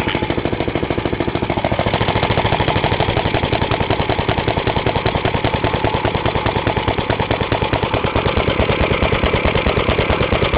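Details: Half-restored 1954 reel mower: repainted Briggs & Stratton 6S, 1.6hp, non-original shroud, pull start removed, homemade throttle valve; plus 1984 Montgomery Ward B&S 3.5hp TMO-37425A. Crisp, even single-cylinder popping at a steady fast rate, no misses or knocks; normal running.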